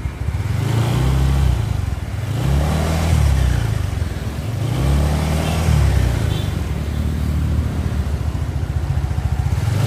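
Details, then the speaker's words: Suzuki Nex scooter after replacing the CVT pulley bearing: throttle blips then steady, smooth even drone; the former rough growling and crackling from the CVT on acceleration is gone. "suaranya sudah kembali halus sudah tidak ada suara ngorok lagi atau bunyi seperti tadi"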